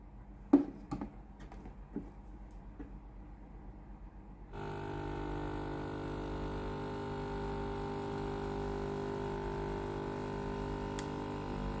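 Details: Philips GC9622 steam iron, reassembled after replacing the board and fuse (fault was no steam, power light blinking): a few soft clicks, then a steady electronic tone as it heats up and signals ready; normal operation.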